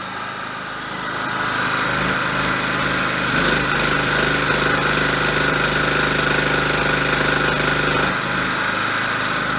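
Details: Tri-fuel-converted small generator engine running on petrol with choke off, after draining the carburetor bowl via the bottom release valve; settles into a steady, even drone with no hunting or misfire; normal running.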